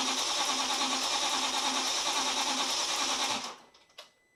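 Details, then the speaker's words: Audi B6 S4 with 4.2L chain-driven V8, first start attempt after rebuild with some connectors unplugged: steady starter cranking at about three pulses a second with no firing; crank no start, crankshaft position sensor missing. "So, you just heard it cranking. You obviously didn't hear it start. So, we have things to work on."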